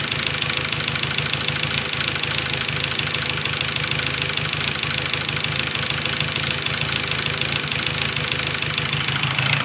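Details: 2001 VW GTI 1.8T, rebuilt with 180 PSI compression on all cylinders, idling since a K03 to K04-01 (K03S) turbo swap: an uneven, stumbling knock about three times a second, a rough idle with misfire whose cause is still unknown.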